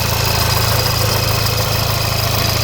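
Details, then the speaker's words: Crashed VW Polo R Line, first start after engine wiring loom swap: steady low idle thrum with faint loose rattle and slightly lumpy beat; owner suspects unchanged, loose oil pump chain, not confirmed. "uh I reckon guaranteed that oil pump chain hasn't been changed and it's probably very loose and if you look it does Miss quite lumpy"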